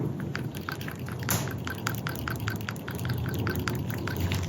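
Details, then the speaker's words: Old PCV valve removed from a 1998-02 Toyota Corolla/Prizm 1.8L 1ZZ-FE, shaken by hand: dull, sluggish, muffled rattles about two per second; carbon crud restricting plunger travel, so replace it. "So the new one is definitely more lively inside. You know, you can tell that there's enough crud in here to where it's taking up some of the space of the movement and the travel inside the valve."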